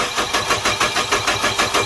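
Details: 2007 Nissan Frontier, intermittent crank no start, battery seemingly weak, checking injector pulse at aftermarket-spliced injector wiring: steady starter cranking at about six compression pulses a second, never fires. Cause suspected, not confirmed.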